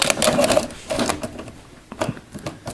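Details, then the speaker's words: VCR on tape insertion: short uneven bursts of whirring and clicking from the loading mechanism; it refuses the cassette, spits it out and won't take more tapes, cause unknown. "okay so that's weird okay and then it spit it out and then it won't take any more tapes"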